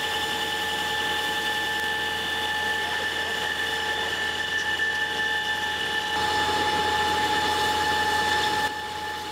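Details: Big lathe deep-hole drilling hard steel with a tungsten carbide-tipped drill and through-drill coolant: steady even machining whine with coolant hiss, cutting smoothly before the support roller bearing failure.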